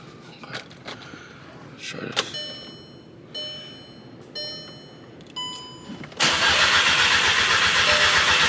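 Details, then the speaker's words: VW MK6 GTI with a replacement engine, original ECU swapped back in: dash chimes, then steady cranking for seconds with no catch; the dash shows immobilizer active and the immobilizer blocks the start. "getting a message saying immobilizer active. But I don't know why the hush."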